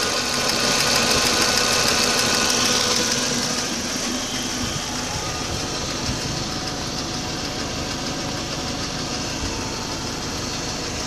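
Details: 2004 Audi A4 B6 1.8T idling roughly after a new water pump (cracked impeller caused overheating) and new timing belt: busy, hissy idle with a fast, fairly even pulse around three beats a second; no clear cause.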